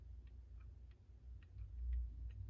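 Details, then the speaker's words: Mechanical clock, bar that rubbed against metal bar now set up: sharp ticks roughly every third of a second with uneven spacing, out of beat; should be a nice even tick like a drumbeat. "And what you want to hear is a nice even tick when your clock is ticking."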